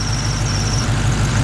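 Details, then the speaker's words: Hellcat with under 6,000 miles at idle: thin, steady, high-pitched squeal over a smooth idle that drops away, worse when pressure is put on it; owner suspects the idler pulley, possibly damaged by spilled water. Cause not confirmed. "But it's probably one of the pulleys, just like maybe the water kind of messed it up a little bit."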